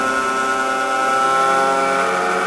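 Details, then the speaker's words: Blower on a woodgas gasifier stack (for powering a pickup truck) during a flare test: steady high whine whose note changes as it draws good suction; blower pulling good vacuum. "if you can hear the change in the note of the blower means it's getting a pretty good section"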